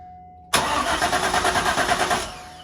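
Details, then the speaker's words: Corvette C5 V8 with manual gearbox, long-abandoned non-runner, just after replacement PCM/ECU install and before the anti-theft relearn: steady starter cranking under two seconds, never fires; fuel pump not heard running, no fuel delivery suspected. "here we go no fuel pump not a good sign [Laughter] [Applause] didn't hear the fuel pump go no I didn't"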